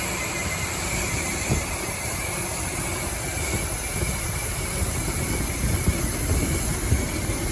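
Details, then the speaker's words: 2006 Dodge Ram 1500 Mega Cab after fuel pump replacement that didn't fix the problem: uneven lumpy idle with irregular low thumps and stumbles, sparking heard somewhere (owner suspects a worn wire); rough-running misfire of unknown cause. "Yeah, it's running like crap. You guys can hear how bad it is."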